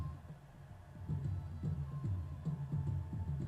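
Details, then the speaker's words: Dayton Audio DC130AS-8 replacement woofer, previously rubbing voice coil and distorted, after re-engineering fix, mic close up, bass turned all the way up: deep bass plays full and clean with no rattle or buzz; normal playback. "That sounds really good. Minimal pressure. No distortion."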